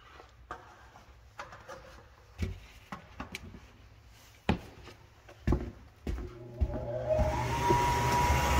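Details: Gas hanging unit heater on startup: scattered clicks, then a steady high whistle rising as the burner lights; caused by gas flowing through an undersized flex hose.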